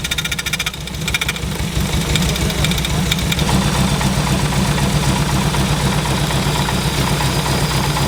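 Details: MK1 Mini Moke, engine seized from sitting and freed with a wrench on the crank: rough for the first second, then a steady, even low-pitched run with no knocks or misses; normal running.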